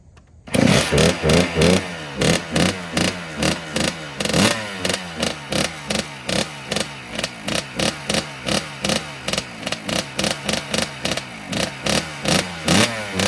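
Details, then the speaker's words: 2009 Kawasaki KX85 two-stroke after rejetting to 140 main and 40 pilot, up from 135/35: sharp clean rev bursts picking up and dropping back without bogging. The fix worked and it runs healthy. "That did the trick. Well, it sounds like it's running a lot better, so that's good."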